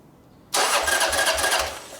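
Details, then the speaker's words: Motorcycle cranking for about a second and a half with a steady pulse but never catching; very little fuel found in the carburetor. Cranking no-start from fuel starvation. "well you're not getting fuel to your carburetor so when you get fuel in the carburetor the bike will run a lot better"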